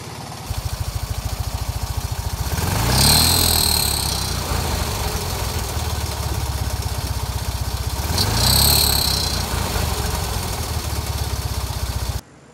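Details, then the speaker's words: 1975 Fiat 500 R on a road trip from Munich that stopped sounding healthy in Thuringia, owner fearing the engine or suspecting the V-belt: sharp, puffing exhaust pulses at idle, louder and raspier on two quick revs; exhaust leak from cracked muffler, later replaced. "in thüringen viel mehr aber auf dass sich der motor nicht mehr so gesund anhörte"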